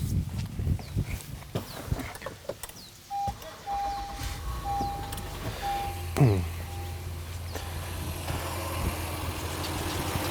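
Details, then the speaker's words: Honda Passport jump-started by an air compressor/jump starter combo with the battery disconnected: short crank, catches at once, settles into a low, steady, even idle. "and you can hear that the car started now let me shut the car off"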